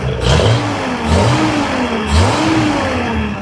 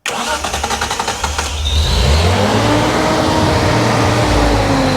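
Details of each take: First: 1971 Datsun 240Z after a six-month restoration, just before its first drive: two sharp blips climb and drop back cleanly with a smooth idle between, the six pulls crisp and even, sounding healthy; oil pressure up, normal revving. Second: Restored 1971 Datsun 240Z cranks, catches and revs briefly, then sags and fades out within seconds, dying as if out of fuel, and the line to the tank was then bypassed.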